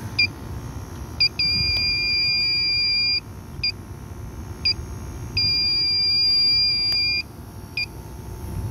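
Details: Old Carrier package unit with no cooling, reported frozen up: irregular high chirps, then two long steady shrill tones of about a second and a half as the leak detector scanning the evaporator alarms on a refrigerant leak.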